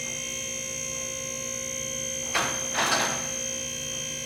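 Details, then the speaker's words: Lift King 4-post car lift raising a vehicle while the up button is held: steady even-pitched electric pump motor hum with two brief handling clunks; safety locks engage automatically on the way up; normal lift pump operation. "So to take the unit up, you're just going to hold your button. So you have safety locks that pop in for you automatically all the way up the lift."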